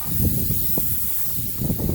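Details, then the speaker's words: Tire with a nail pulled from the tread during plugging: a soft, uneven hiss of air leaking from the hole, confirming the right puncture. "You hear it leaking out. That means you've got the right one."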